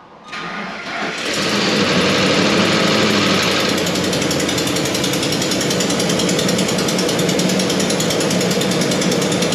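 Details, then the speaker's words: Ford F-150 5.4 Triton 3-valve with replacement engine, restarted after sitting long, cranks and fires into sharp ticking from a nasty exhaust manifold leak on one side; chain rattle also heard at startup. "okay she's running yeah we can clearly hear that's got a nasty exhaust leak over here on this side that's that ticking noise"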